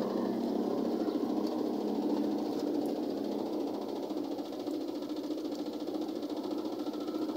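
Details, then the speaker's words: Automatic washing machine during spin after rinse: uneven knock about twice a second over the drum hum; technician says it makes noise because a part has not yet been fitted. Knocking during spin cycle. "Yan, medyo tumutunog lang kasi hindi ko pa na-itag nililitakit. Hindi ko pa kasi nalagyan ng nililitakit kaya tumutunog siya."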